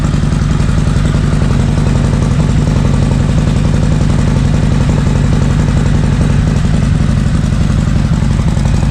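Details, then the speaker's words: Harley-Davidson M8 bagger after new NGK Iridium plugs and Sumax 10mm wires, cold start idle: loud, steady V-twin potato-potato rumble with an even rhythm, no misfires or bogging; healthy. "she's super strong she fires right up and I've taken her through the paces the last few days I Can Tell She's dirty as always um and she sounds great so I'll fire it up for you guys so you guys can hear it this is a cold start by the way"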